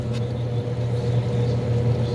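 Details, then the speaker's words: Two-speed hot tub pump running smoothly on low speed after replacement (damaged impeller, new pump assembly fitted), with a steady low hum and no rattles, gurgles or surging while air is purged after refilling; normal pump running. "listening for air or anything you can hear when there's air in a pump like that usually"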